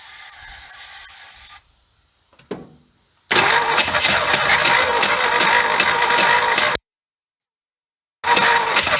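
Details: 1976 Ford F150 abandoned 30+ years, spark restored, carb cleaner sprayed in: uneven cranking bursts with ragged firing catching briefly then dropping out; engine wants to start but won't settle.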